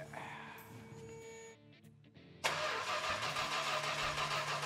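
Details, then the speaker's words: 1970 Plymouth Superbird, paint code 999 Petty Blue, not yet fuelled or primed: after a quiet start the starter spins the engine quickly and evenly at a brisk, regular rhythm; turns over freely, normal cranking. "boy that sounds good I think we're going to be cruising down the highway what do you think it does crank over Royal"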